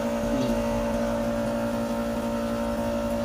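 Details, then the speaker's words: Window-type aircon unit pulled out for cleaning, previously repaired and fitted with a charging line, tested after cleaning: loud steady drone with strong low hum and rough undertone; compressor noisier than normal, cause unclear. "iba yung ingay ng compressor nya. Na-repair na to."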